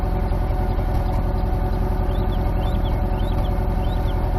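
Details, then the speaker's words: 1991 Honda Civic, nearly warmed up, new plugs, wires, cap and rotor: idle with a lopey beat of three or four dull thumps a second, a rhythmic idle misfire. "But as soon as I have to tune the idle up so it'll run right, but you can still hear it. It's going boop, boop, boop, boop."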